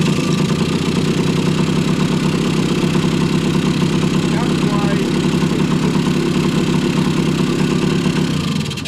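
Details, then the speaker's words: 1980 Kawasaki KE100 two-stroke, sat 10+ years, warm, after carburetor cleaning and timing set: crisp, steady idle with an even beat and no stumbling or hunting until shut off; runs clean. "that's why it's worthwhile to go on ahead and do all the things that we did. And now we have a nice clean running motorcycle. We hardly have to fiddle with it."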